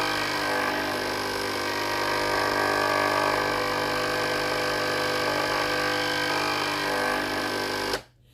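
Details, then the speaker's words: Philips GC7703 steam iron, no steam, soleplate hot, during clean cycle; steady pump buzz running continuously but no steam at the soleplate, pump not building pressure; fixed by replacing the water pump. "ตรงนี้ได้ยินเสียงปั๊น้ำทำงานตลอดเลยนะครับแต่ไอน้ำไม่ออกที่หน้าเตานะครับ"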